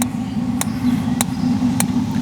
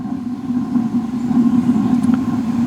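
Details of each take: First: Dometic RV refrigerator on LP gas after sitting unused for a couple of years: sharp igniter clicks about every 0.6 seconds over a low hum, with the water heater burning nearby, while air purges from the gas line; it then lit. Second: Suburban RV water heater on propane after sitting two years: steady, even low roar with no popping, sputtering or surging once air cleared the line; blue flame, burner running cleanly.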